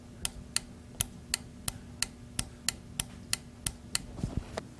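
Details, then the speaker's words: Jeep fuel injector bench-tested with 9-volt battery via alligator clips, camera close: crisp sharp ticks about three a second, one per tap as electromagnet pulls plunger open; normal injector clicking, checking for clogging. "So you can hear the fuel injector activating when I give it a little electricity here with a 9-volt battery."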